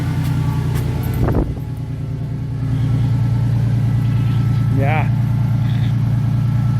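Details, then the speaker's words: 1996 Ford Mustang fitted with a 1997's dual exhaust, fresh oil change: deep, even exhaust rumble at steady idle with no misses, knocks or ticks; engine sounds healthy. "really good, huh? I'm happy."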